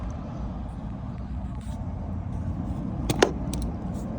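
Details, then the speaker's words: Vissani HVBC31ST beverage cooler not cooling, plugged in: a few sharp relay clicks over a quiet room, then no compressor hum; power reaches the compressor and thermostat is good, either a faulty start device or a bad compressor. "all right so we're going to dig into this this is either a start device or a bad compressor that clicking tells you you're getting power of some sort going to the compressor so your thermostat is good on the inside"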